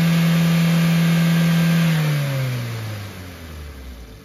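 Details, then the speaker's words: 2023 Maruti Suzuki WagonR, K-Series Dual Jet dual VVT engine, started after engine timing was refitted to cure noise on startup: smooth, even hum at steady pitch, then clean wind-down at shutoff; no ticking or valvetrain clatter. "तो उसके बाद में आपको इसकी sound check कराता हूं गाड़ी start करके"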